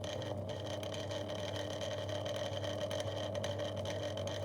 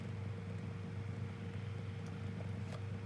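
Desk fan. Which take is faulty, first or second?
first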